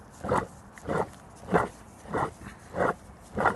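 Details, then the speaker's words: 2017 Ford Transit Custom van, driver-side driveshaft turned by hand with wheel hub disconnected: rough gravelly growl in bursts about every 0.6 seconds from a worn bearing at the differential end, noisy at 70–80 mph. "so this bearing is gone causing a lot of noise when you're driving down 70 80 miles"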